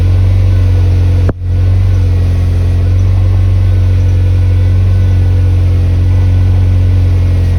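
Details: Mazda NB Miata after AC delete, started to check the reinstalled, possibly slightly long drive belt and tensioner: catches with a brief click, then steady, even low hum with no squeal or chirp; belt fine.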